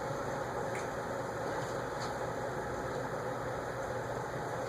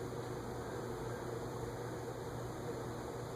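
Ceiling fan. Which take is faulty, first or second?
first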